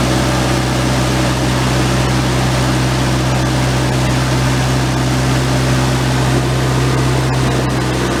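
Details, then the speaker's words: PE-197 generator, run a few minutes, just fitted with replacement oil-bath air cleaner and elbow: steady, even drone with no misses, knocks or surging; output 120 V AC, charging battery, excellent oil pressure. "Adjusted to 120 volts AC. The ammeter is charging the battery. Got excellent oil pressure."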